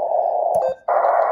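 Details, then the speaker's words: Xiegu G106 HF radio on a Chameleon micro antenna about 10 ft up, just powered on with preamp off: constant loud hiss, briefly dropping then returning brighter, sounding as if preamp were on; noise should be S3; high receiver noise floor. "okay it sounds as if the preamp is on that's exactly what it sounds like right now"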